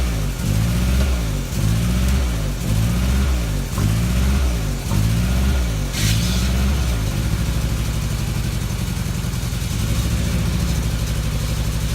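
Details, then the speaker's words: 1994 Toyota Tercel, hot-soaked with Seafoam through PCV vacuum line, two cylinders around 60-90 psi: throttle blips then lumpy, irregularly stumbling idle; misfire from low compression, suspected non-sealing intake or exhaust valve. "so it's just a last-ditch effort because it's obviously not worth you know pulling the head it has a exhaust valve or an intake valve on so on before that's not sealing"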